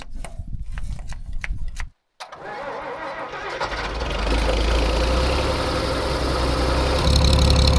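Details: Old engine-driven air compressor being rebuilt, started after filling its leaking glycol cooling system with water, adding oil and pumping in diesel. A few clicks and a pause, then it catches and settles into a steady, even idle rumble with no misses.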